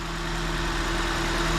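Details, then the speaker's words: 2004 Nissan Sentra after replacing a bad fuel injector (coil and plugs were not the cause): even, steady idle hum with no stumbles or shaking pulses; misfire gone, normal idle. "turned it on what do you know is smooth no more misfire our sleuth so the problem we had here was a a bad fuel injector cars running real smooth"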